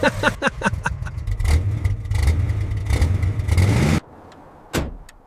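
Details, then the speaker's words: Abandoned Chevy C10 V8 pickup, sat 20 years in the desert, first run after carb cleaner and spark plug check: sharp throttle blips, then steady deep V8 burble dropping off cleanly, no knocks; normal rev response. "I honestly cannot believe it. The engine sounds incredibly healthy."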